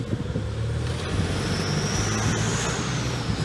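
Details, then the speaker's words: 2006 Toyota Hilux manual, 1KD-FTV diesel freshly rebuilt, driving: faint high whistle climbing as the truck pulls under diesel drone and road noise; worn turbo noise, unrelated to the engine rebuild; owner says it won't stop him driving. "conheço gente que anda anos com esse barulho na turbina"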